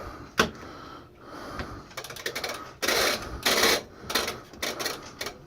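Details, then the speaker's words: Whirlpool direct-drive washer set to spin but won't spin: uneven rattling clicks and scraping bursts from the bottom front while the drum stays still; failed drive coupling. "there's a noise coming from down at the bottom of the front the best way explain it if you can't understand it from the phone from that camera what that is it's a drive coupling they go bad like crazy on these washers"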